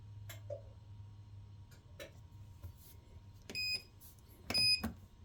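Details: Kenmore washer will not start: a few soft clicks and two short high beeps, then no motor or drum. Whatever cycle is selected, it shuts itself off and stays locked; earlier, switching off and restarting worked.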